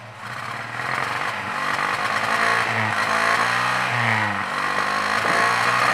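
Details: 1967 Volvo 122 Amazon B18 engine, compression 150/120/120/150: revs unevenly with loping, stumbling beat under the exhaust; rough running from low compression.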